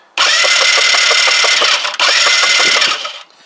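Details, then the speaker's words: Kymco Agility 125 scooter, long unused, cranking with a temporarily connected coil: two bursts of fast whirring starter cranking, about four even pulses a second, never catching; still no spark, so the coil is potentially not the problem. "so potentially then the problem is not the coil do what else what else could it be"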